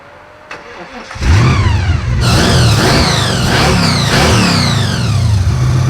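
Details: 1974 Jaguar (Draguar), after fitting new carburetor needles and seats to stop leaking: catches after a second, revs climb and fall cleanly several times, then holds steady even run with no misses.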